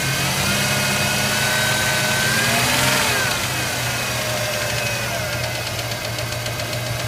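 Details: Ford Ranger running: fast, fairly even light tick about three to four per second over the engine hum; cause not yet pinned down.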